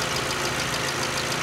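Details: 2012 VW Jetta GL 2.0L after replacing faulty cylinder 1 plug wire that caused P0300/P0301: smooth, even idle with steady pulses and no stumble; misfire count zero, all cylinders firing.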